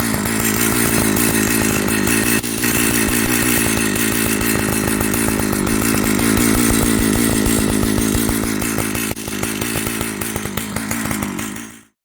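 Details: Old Jonsered 930 project chainsaw at a fast, even buzzing idle for about twelve seconds before dying away, so it runs. The bearing underneath is dry, and the air filter cover mount is stripped.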